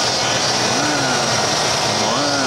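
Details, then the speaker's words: Ford Country Squire station wagon, engine running: a wavering whine rising and falling in pitch from the power steering pump. "Oh yeah, listen to that. He's a whining. Ford power steering pump whine."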